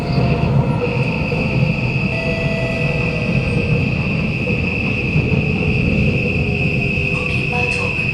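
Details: Kawasaki Nippon Sharyo C751B train, car 1351, in poor condition, decelerating: steady high squeal near 2.5 kHz over heavy rumble; wheel screech when braking, suspected worn wheels, not confirmed.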